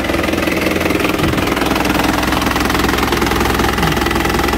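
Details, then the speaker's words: Isuzu Panther LV 2.5 Turbo diesel, 2010, fairly warm: even, steady diesel clatter at idle with a regular beat, no misses or extra knocks; engine reported healthy with no oil-filler blow-by. "Mesinnya seperti ini teman-teman, bunyinya masih langsam ya. Ciri khas Panther, dieselnya enak banget bener."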